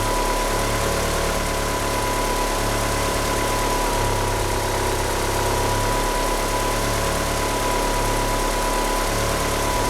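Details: Car with 850cc injectors and a slipping steering pump belt, unable to rev up: idle rises and sags every second or two, lumpy hunting beat; rough idle, cause not confirmed.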